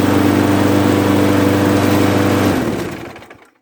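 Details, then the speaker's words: Craftsman mower with a 6.5 hp Briggs & Stratton flathead engine, after the low rpm was bumped up by bending the speed tab: a smooth, steady drone with no surging or misses, then it shuts down and coasts quiet. "Now that's better. That's running a heck of a lot better than it used to."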